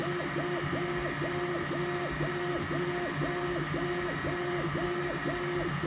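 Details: Neptune 4 Pro 3D printer gives a high, whistling squeak repeating about twice a second while running.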